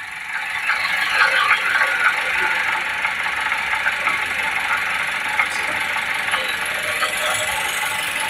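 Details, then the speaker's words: Perodua Bezza 1.3 1NR automatic in Park: harsh, uneven metallic rattle about three per second, breaking sound from inside the gearbox. "Bunyi macam pecah ya. Bunyi macam pecah. Kalau dengar bunyi ini memang dia dalaman gearbox lah."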